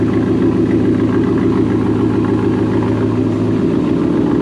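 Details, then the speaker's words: 1997 Chevy K1500 5.7 Vortec just after a new module was fitted: lumpy, uneven idle that never settles, sounding and smelling fuel-rich as before. Owner unsure whether it needs to relearn and fears the engine is blown: rough running. "It sounds the same, smells the same. I don't know if it's going to make it smell less fuely."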